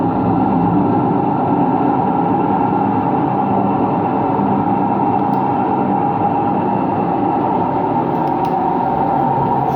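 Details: Washing machine on an empty rinse-and-spin cycle gives a loud, steady, gravelly roar. The owner suspects both the motor bearing and the drum bearing, unconfirmed; no leak was seen.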